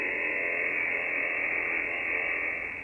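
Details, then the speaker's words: HF receiver (FTdx10) picking up a constant rushing hiss with faint buzzy texture and fixed-interval spikes, caused by a computer-controlled washing machine's AC variable-speed motor drive; radio interference. "let me tell you what that is that is our washing machine it is one of those fancy computer-controlled washing machines um for those of you who are interested in technical aspects of it it has a ac variable speed drive and um the computer is uh is controlling that and therefore it's very noisy"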